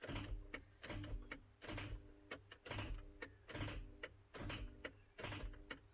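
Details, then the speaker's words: MK3 Ford Cortina with seized Kent engine, starter engaged to try to shock the flywheel free: irregular clunking and buzzing bursts about once a second; solenoid likely drops in and out as current shorts, pulsing. "i think what happens is as the current shorts out the solenoid drops in and out you get that pulsing effect"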